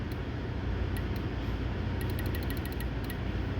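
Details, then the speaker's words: 2015 Honda CR-V under the dash at the light blue wire connector, fuse 23 good. The wiper goes off in quick bursts of sharp clicking, about three a second, over a cabin hum. Cause: loose connector pin fitment, with no corrosion. "There, my wiper's going off. Hear it? Clicky, clicky, clicky. So I get a bad connection."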